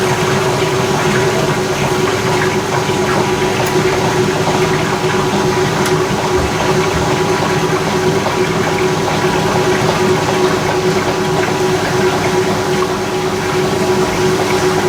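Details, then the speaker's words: 1989 Maytag A512 Fabric-Matic washer, 32 years old, spinning and draining: a steady, even whir with water rushing through the pump and no knocking or grinding. The spin is impressively quiet and sounds healthy. "however i found that it is impressively quiet during the spin"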